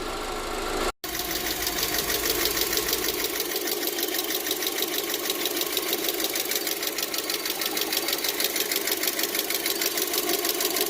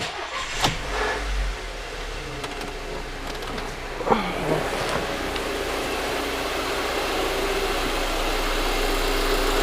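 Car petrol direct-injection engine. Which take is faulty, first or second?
first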